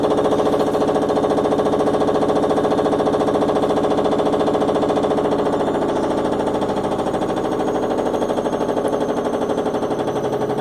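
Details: Washing machine making a hard, rapid hammering of about two knocks a second, steady throughout the run; something is banging inside, cause unknown.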